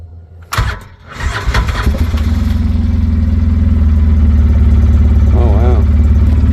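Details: 2007 Polaris Ranger 700XP bought needing work, oil topped off and new battery fitted, original engine started: settles into a steady idle with a regular knock about three times a second. Internal engine knock, cause unknown; valve train looked fine.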